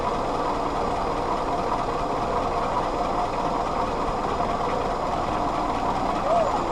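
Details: Willys CJ2a Jeep L134 four-cylinder after refitting distributor vacuum advance: steady, even idle with no misses; the vacuum advance helped, though owner wonders about a leaking head gasket from oily coolant and runny oil.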